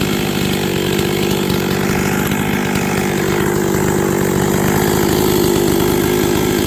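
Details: Freshly rebuilt 266XP two-stroke chainsaw on first run, final carb settings not yet done: burbling idle, picking up lazily off the bottom when the throttle is blipped; sluggish throttle response.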